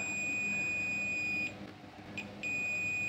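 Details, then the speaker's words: Sharp 4T-C42DK1I smart TV, red standby light only, won't turn on: multimeter continuity beep at capacitors after USB regulator ICs removed, dropping and returning as probes move; rail still shorted to ground through the main chipset. "Nah, ini masih short. Ini masih short. Selanjutnya di sini pun masih ada short juga."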